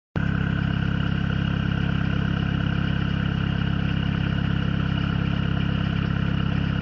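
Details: Peugeot/Citroën XUD diesel idling cold: slightly uneven, lumpy beat around four pulses a second; misfire from a faulty glow plug and weak battery, stops once warm, cured by replacing the battery.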